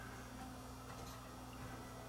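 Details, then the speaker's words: Sony WM-D3 professional recording Walkman in for service because it runs fast and clicks, in play mode: a light, quick ticking over the faint tape-drive whir, caused by a broken plastic drive gear with a big chunk missing, which also causes flutter. "The gear is broken. The plastic gear is broken right here. Yeah, that's a common problem on this."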